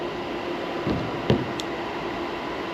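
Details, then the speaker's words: Stock fans on an ASIC miner before Noctua upgrade, drawing 1,100 W, about 68 dB: loud constant airy roar from fans spinning flat out, only a couple of stray clicks; normal cooling at full speed. "If they were this quiet, I'd have left them alone, but they're actually a lot louder than this once they start ramping up."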